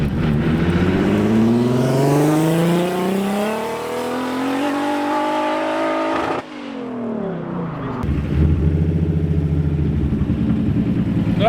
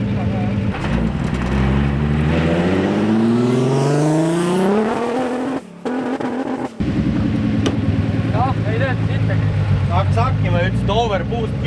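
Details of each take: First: Nissan, third-gear pull after correcting the mixed-up wastegate lines: revs climb smoothly and strongly and drop cleanly on lift-off, wastegate now opens, louder with no overboost stumble. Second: Nissan with new gearbox, stress-testing on a pull: revs climb hard, then the engine stumbles and cuts out briefly before picking up, overboost because the wastegate lines were mixed up.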